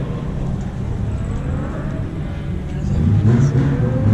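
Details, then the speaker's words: Drift car at event: lumpy, uneven engine note that hunts and stumbles; running badly because the vacuum hose to the MAP sensor had come off, leaking vacuum. "That vacuum hose, where the fuck's that go? Oh, there, off my map sensor. No wonder it's running like shit."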